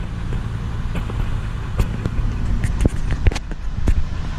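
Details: Ford F-250 6.8L V10 runs with a deep, steady rumble and sharp ticks and knocks at uneven intervals; coils and plugs were already replaced, cause still unknown.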